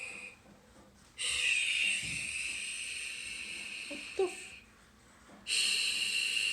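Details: Google Home Mini, set up months earlier and left unused, gives an airy hiss that swells, cuts out for seconds, then returns like slow breathing; intermittent breathing-like glitch, cause unknown.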